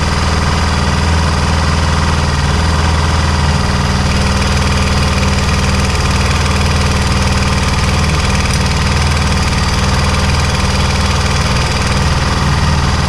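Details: Honda XR400 single-cylinder at cold start (-5°C): steady loose knock and rattle about twice a second from the top end, nearly vanishing when warm; owner suspects the automatic cam chain tensioner is not holding tension; cold-start engine rattle.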